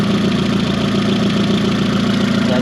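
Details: 20v turbo VW Caddy idling after coolant fill: steady, even idle with smooth mid-pitched hum, no knocks, misses or hiss; coolant circulating, radiator full, no leaks; normal idle.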